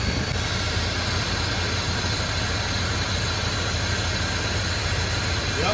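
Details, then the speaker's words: Chevrolet Silverado squarebody farm truck V8 idling after completing a Holley Sniper EFI install, power cycled and parameters checked: steady, even burble, no misses or knocks; engine settled and running cleanly like a champ. "had to cycle the power on and off again and man is she running like a champ"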